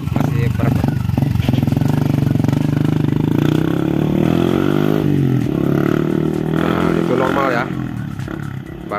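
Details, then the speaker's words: 2014 Yamaha Vixion test after injector cleaning, previously stumbling at high RPM: revs smoothly, pitch climbing and settling evenly with throttle, no stumble or misfire; running normally now. "tadinya nggak normal kayu ya oke siap oke mantap oke oke motornya udah jadi ya"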